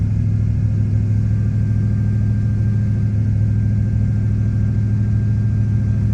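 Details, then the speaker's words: 2000 Silverado Vortec 5.3L LS, Stage 3 cam, 92mm throttle body, AC off: loud even drone held high from startup, gets stuck at high RPM, sometimes drops; stuck high idle, owner suspects throttle position sensor or idle air control valve. "Kind of gets stuck up there on the RPMs, but sometimes it'll drop down eventually."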